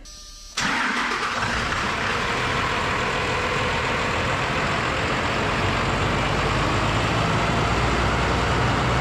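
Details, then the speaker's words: Diesel, after priming the fuel system by hand plunger until only fuel showed at the bleed screw: short crank, catches at once, steady even idle. Normal diesel start. "if you prime the system properly it should fire right up and run without problems"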